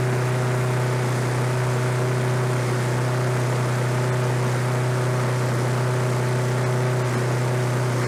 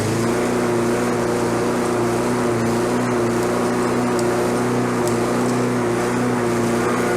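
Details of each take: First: Roadside-discarded Lawn-Boy 21-inch self-propelled walk-behind mower, revived on fresh gas, low compression felt: steady engine drone at constant pitch, no misses or knocks; running normally. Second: Discarded Lawnboy self-propelled walk-behind mower running with no load: a steady, high-pitched drone held at constant high speed. The engine is over-revving, and the governor arm was bent to bring the rpm down.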